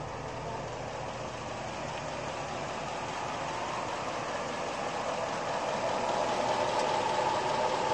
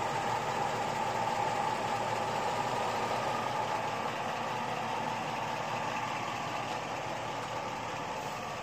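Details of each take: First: LS engine with top-end rebuild and Comp Cams 54-525-11 camshaft, Comp Cams Evolution hydraulic roller lifters after 38 hours run-in, heard standing some distance from the truck: steady idle with only a faint regular tick under the exhaust; lifter noise acceptable, far quieter than previous 8957 lifters. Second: LS V8 truck with a rebuilt top end and Comp Cams 54-525-11 cam, on Evolution hydraulic roller lifters after about 38 hours, warm idle: light fast ticking around four per second that is now hard to hear, unlike the loud earlier 8957 lifters; hydraulic lifter tick.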